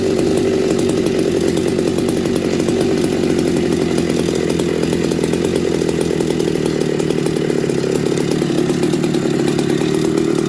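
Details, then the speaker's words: McCulloch MC49 chainsaw on a substitute 090 carburetor, cutting wood: strong steady high pitch, no bogging or surging; the running fault was traced to the ignition points, possibly not sanded. "oh my God that was starting to test me it was just the points thank goodness"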